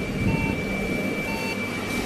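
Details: HP Compaq EliteDesk 8300 desktop gives a power-on beep error code, described as a 3-beep problem, heard as high-pitched beeps about a second apart over steady fan noise. The cause is not confirmed; the RAM is checked and cleaned.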